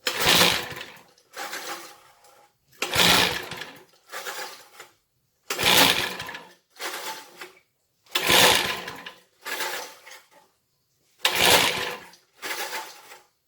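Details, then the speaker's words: 1970s Briggs and Stratton rotavator engine, unused about 3-4 years, carb cleaned with carb cleaner: cord pulls every ~2.5 seconds, sharp whirr then weaker rasp, no firing yet. "Maybe a little more throttle. Ooh, that sounded like it wanted to go."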